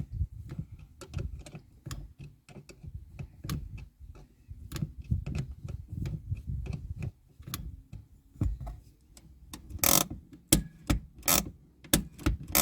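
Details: Toyota Hilux Surf gen 3 with new rear drum brakes: handbrake lever pulled during adjustment with the adjuster nut loosely set, giving sharp dry ratchet clicks, about seven to ten per pull, against a quiet background.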